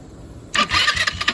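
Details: Chinese ATV, about 8-10 years old, key off and key switch unplugged: sudden starter whir with quick cranking pulses about five a second; key ruled out.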